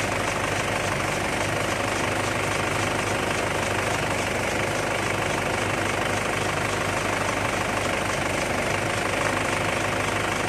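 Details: Engine idling with steering turned after front suspension ball joints were greased: steady idle with no creak or groan from the front end, earlier turning noise gone.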